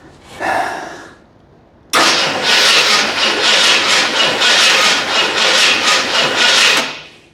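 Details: Fire-damaged 1981 Ford Bronco just bought, carb freshly filled and coil powered directly: the starter churns in steady pulses for about five seconds and it never catches. Distributor condition and rotor unknown.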